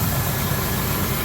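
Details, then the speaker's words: 1978 Jeep Cherokee V8 at warm idle with new ignition module: steady, even low rumble with no knocks, misses or ticks, slight power steering pump whine; runs perfectly. "New ignition module over there, and you can hear she runs perfectly actually, no issues at all."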